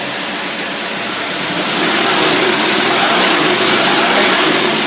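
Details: Engine on test with a Rochester single-barrel carburetor, revving: hard even roar swelling as throttle opens, holding steady with no misses or knocks; pulls cleanly.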